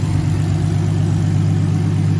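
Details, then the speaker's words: BMW E46 turbo now running properly as a daily, AC compressor working, wastegate holding 7 psi: deep, even idle rumble with a steady low note and no knocks, misses or surging; normal healthy idle. "especially now since this thing is running beautifully."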